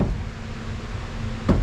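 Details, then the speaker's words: 1973 VW Super Beetle front end, worse on the right side: one dull clunk as the right wheel is rocked by hand after the passenger tie rod was disconnected; owner suspects the strut or its lower bushing. "I think that is the noise I'm looking for so I'm thinking that it's actually something here in the strut either the connection down here if that bushings gone out"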